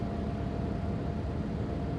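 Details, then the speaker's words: Van engine (mounted under the cab) idling after a repair: a low, steady, even rumble that is now dead smooth, where before it skipped slightly, like a faint misfire from one cylinder. Normal idle. "Like it would just it sounded like it was skipping a little, like it was misfiring the tiniest bit or whatever. But now it's so good. It's just dead smooth."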